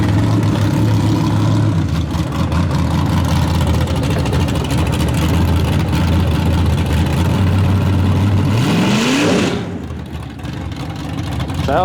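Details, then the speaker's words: S10 truck with new plug wires, new spark plugs and rerouted fuel line, baffles popped off: loud engine running hard, rev climb with ragged popping and crackling, breaking up under throttle; owner rules out carburetor, float, fuel pressure and plugs; cause unconfirmed. "Oh crackling again here cracklin"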